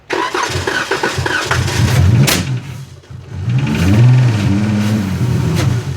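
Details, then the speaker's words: 2016 Dodge Challenger 3.6L V6, crank-no-start, faulty fuel pump: engine catches on starting fluid in throttle body, runs rough a few seconds with a backfire pop, then dies; no fuel from pump. "it's a little bit of backfire with the starting fluid that's why like i said just be careful you know on how much you guys put into the throttle body but as you guys saw the vehicle did turn on momentarily"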